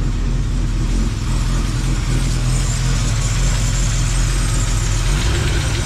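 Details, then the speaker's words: Old truck with mild RV cam, engine under 5,000 miles, lost compression on one cylinder: uneven loping idle with light irregular top-end tap, one cylinder weak; owner suspects lifter, flat cam or bent pushrod. "sounds more like it's up in the top end so I'm wondering if it's got a flat cam or bent push rod or something"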